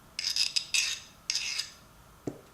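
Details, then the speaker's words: File test on removed spring-loaded ratchet pawls during ratchet teardown: three quick strokes give a high, glassy skating hiss with ringing tones; the file won't bite, so the pawl is hardened. "it has that higher pitched, almost like I was running this on glass. That means this is actually hardened, which is a good thing."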